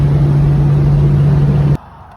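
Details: Project Chevrolet Caprice cruising on the highway after a digital dash install; even, steady low drone with no knocks or whine, then cuts off; engine sounds healthy.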